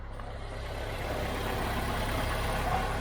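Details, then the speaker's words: 1.2 with 97,000 miles, cold start, cam belt possibly never changed: quick, even cold idle that steadies as it runs, no tapping, knocking or misfire; sounds healthy. "The radio works. That sounds all right. For a cold little 1.2."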